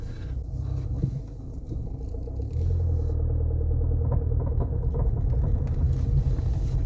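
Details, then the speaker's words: Peugeot 407SW road test on right lock only: low road rumble with faint rhythmic rotational clicking, about three a second, intermittent and worsening; suspected worn outer CV joint. "it seems like a rotational clicking noise now I'm going to put money on it being the outer CV joint"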